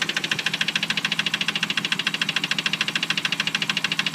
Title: 98 3000gt Sl engine knock